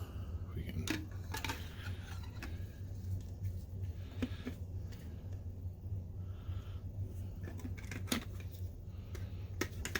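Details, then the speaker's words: Rechargeable spin scrub brush, after replacing its failed switch with a button salvaged from a DVD player: a few crisp sharp clicks over a low steady hum, button snapping cleanly; normal switch click. "oh yeah hopefully you guys could hear that nice little clicky noise"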